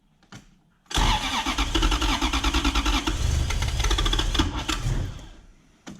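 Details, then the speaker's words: BMW E36 coupe with a swapped Gen2 Toyota 1UZ-FE V8 (standard igniters, airflow meter fitted): cranks, catches roughly with lumpy misfiring and pops back through the intake, then dies. It was worse the day before, and the ECU is to be examined. "start can stop and then sometimes it feels like the time is out so and it's popping back through the intake he was doing it much much worse yesterday"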